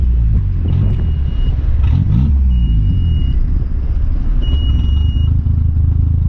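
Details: Mitsubishi Conquest turbo (G54B), after swapping fuel pressure regulator: low rumble stutters and sags unevenly, choking as if about to die; owner suspects it runs so rich it chokes out, AFRs erratic, fuel pressure correct.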